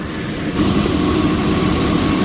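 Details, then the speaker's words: 2002 GMC Sierra idling after 134a AC recharge: relay reinstalled correctly, idle deepens and gets louder about half a second in as the AC compressor clutch engages, loading the engine normally. "What we're going to do is we're going to put our relay back in the correct way. And I just heard the clutch turn on."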